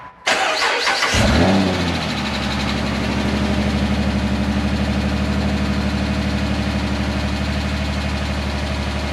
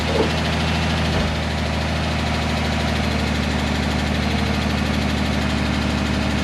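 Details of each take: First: 2010 Dodge Charger 3.5L V6, first start after timing belt, water pump and thermostat replacement: brief crank, then it catches cleanly and settles into a steady, even idle with no ticking or knocking. It smells a little rich; a leak is found. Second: 2010 Dodge Charger 3.5L V6, cold first start after timing belt, water pump and thermostat replacement: steady idle with a light, quick lifter tick about three times a second. This is described as usual on cold starts until oil pressure builds.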